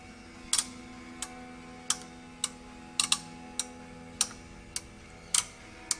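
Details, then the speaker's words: OsaiRing I/O module on the bench, inputs pulled to ground one by one: sharp single relay clicks about every half second over a faint steady hum, each relay energizing cleanly with its LED; relay outputs working. "like to go through all the inputs to make sure that the relays are energizing you can hear them energize and that all the LEDs turn on"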